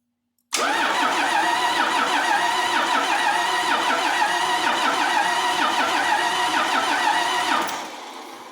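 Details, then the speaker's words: Cummins diesel from an old bus sitting outside about 3.5 years, starter jumped at the solenoid: even but sluggish chug, about three compression beats a second, for seven seconds without firing; slow cranking, better than before but not great. "well it's better it's not great but it's better"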